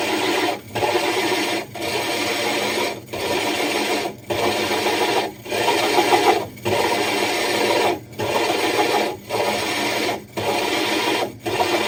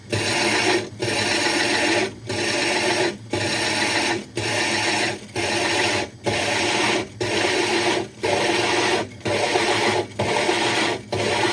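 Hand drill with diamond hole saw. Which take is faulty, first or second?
second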